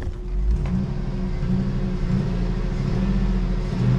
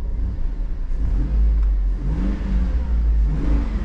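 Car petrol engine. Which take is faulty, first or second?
first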